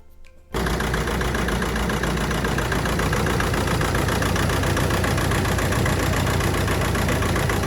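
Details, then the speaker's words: 2007 Audi A4 B7 1.9 TDI diesel: catches and settles into uneven lumpy clatter with wavering beat; rough idle persisting after injector wiring loom replacement, faulty injector suspected, new one ordered. "in the last episode we replaced the injector wiring loom uh it didn't end up changing anything and the car is still running rough"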